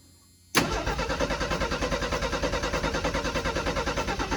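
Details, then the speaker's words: 1984 Ford F-250 flood-damaged truck, cranking on a jump box with carburetor bowls deliberately run empty: steady starter cranking about three turns a second, even and unbroken, never catching; no fuel in carburetor, so no start. "there's no gas in the carb so it shouldn't start"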